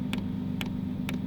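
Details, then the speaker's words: Diesel heater installed in a Dodge Journey van conversion: sharp, evenly spaced clicks about twice a second over a low hum as the fuel pump primes. Normal fuel pump priming. "uh the pump is priming i can zoom in until we can see it"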